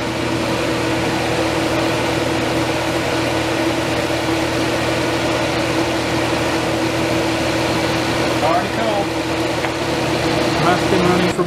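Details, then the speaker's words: 1989 Crest (Fedders) 5000 BTU Carry Cool, first compressor start since ownership after cleaning: smooth, even hum with a steady low tone and a faint refrigerant hiss, no knocks or rattles; compressor running quietly and healthily. "here's the first start of the compressor since I've owned it very quiet I hear refrigerant"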